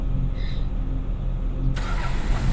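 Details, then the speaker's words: Diesel Toyota Land Cruiser, which cranked but wouldn't start, cranks with a low lumpy beat then catches at about 1.7 seconds and runs steadily after the shutdown solenoid is bypassed with a direct connection. "यह start हो गया friend"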